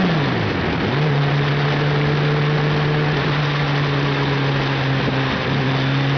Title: Hayabusa misfires (ignition failure)